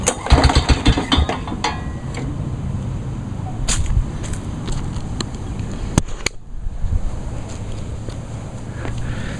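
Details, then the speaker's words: Mower with crankshaft play, engine turned over: heavy, uneven clunks from a connecting rod knock, not audible while running. "Hear the knock from the rod. I mean, you can hear it, but you won't even. But you can't hear it while it's running. Yeah, did you hear that? Clunk. Hear that clunk clunk?"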